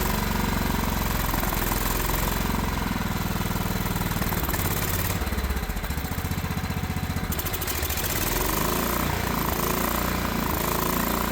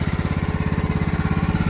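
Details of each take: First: Old Craftsman riding mower engine with hydraulic lifters, after valve cover refit, governor reset and a borrowed spark plug, burning off oil smoke; it chugs unevenly at idle, stumbling and surging, still running rough. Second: Old Craftsman riding mower with hydraulic valve lifters, after carburetor air screw adjustment and swapped spark plug: steady, even low putter at raised idle, about fourteen firing pulses a second; normal idle.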